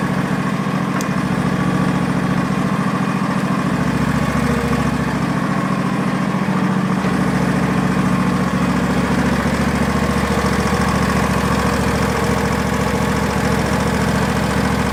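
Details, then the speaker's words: Hayter barn-find ride-on mower at idle after being revived, with a switch jammed to keep it running: a steady, even low putter with no misses, backfire or surging. Running on both cylinders, engine healthy. "it is running on both silliness didn't turn in backfire or misfire I think so we've got a nice running engine there I don't think there's anything wrong with it"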